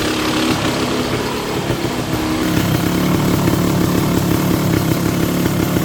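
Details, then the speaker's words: Kawasaki KX250 two-stroke dirt bike after complete restoration and cylinder sleeving, first start after five primes with the idle screw way out: crisp, steady burble settling into an even idle, no knocks or rattles; normal idle. "Oh, we did. The idle screw's way out. Woo, I was nervous there, man. >> [laughter] >> Sounds good, though."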